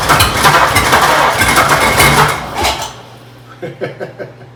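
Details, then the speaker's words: 1926 Oakland revived after 75 years, gummy rings suspected, fresh gas added: engine catches and runs roughly under three seconds then dies, a few weak puffs; intake suction then dropped; fires briefly then stalls. "Yeah, it's showing signs of life there no longer now we've done it. Yeah, Deader, it's gone."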